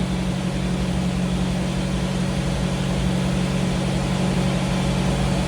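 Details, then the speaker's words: 1985 Jeep CJ7 on first startup after Holley Sniper EFI installation with new tank, cold, below 165 coolant temp: smooth even hum at elevated idle with a steady beat; normal cold fast idle, rpm expected to drop. "so I got my fuel line my ground and my in my fuel pump the rpm should come down soon"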